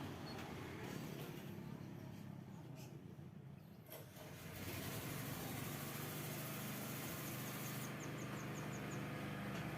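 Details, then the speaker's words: Yamaha New Vixion Lightning (NVL) with valve cover removed, running at idle: rapid metallic clatter about four taps a second keeping time with the engine; intake rocker arm bearing collapsed and not turning, letting valve clearance loosen. "Ya setelah dicek di bagian pelatuk klep atau Rocker arm-nya di bagian in yang bermasalah Sepertinya lahernya itu tidak berputar ya teman-teman kelarnya rontok jadi dia tidak berputar sehingga setelan klep bisa kendur sendiri"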